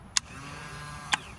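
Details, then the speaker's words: Yamaha 225 outboard power tilt that only worked one direction, tilt-up pressed: sharp solenoid click, even electric motor hum with faint whine, another click as it stops; tilt-up circuit works normally, so the tilt solenoid is suspected for the fault. "and you can hear the motor moving and the solenoid click. Now I'm just going to hit down, just a click."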